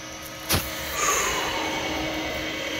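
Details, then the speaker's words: Compaq Deskpro 286e, newly acquired, first power-on smoke test with no video yet and a possibly dead CMOS battery. A click, then a smooth whir rises to a steady tone with no grinding or rattle. Fan and drive spin up normally. "nothing is grinding nothing is rattling i have every reason to believe that i would be getting video output right now"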